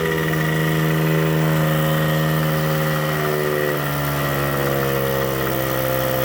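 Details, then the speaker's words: 1979 Suzuki JR50 two-stroke minibike after float setting recheck, smoking more: idle with slight sputtering and wandering pitch; hand around carburetor isolates an intake air leak, likely why it won't rev out. "Okay, guys. I can hear a little sputtering. And I start to put my hand around here to kind of isolate the noise. Watch this. We've got an intake leak. That's probably why it's not revving out."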